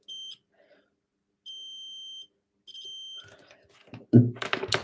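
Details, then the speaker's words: Nintendo Switch with no power, board out. A multimeter continuity test on the capacitor above the P13 charging chip beeps steadily, showing a dead short to ground, so P13 needs replacing. "that is shorting out so it's going to need a replacement p13"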